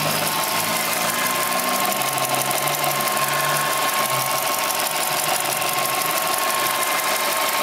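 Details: Subaru Impreza EL15 at 75,000 km with original NTN hydraulic timing belt tensioner: a quick light ticking rattle at about three a second over the running engine, the tensioner knocking.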